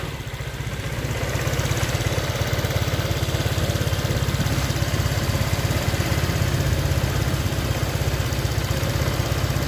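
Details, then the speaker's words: Honda Vario Techno 125 scooter whose engine sounded rough now idles evenly with a steady low putter and no ticking or rattle after the faulty cam chain tensioner was replaced. "setelah kita ganti stationer yang baru ternyata bunyi mesinnya sudah sangat-sangat halus dan normal tidak ada kendala apapun"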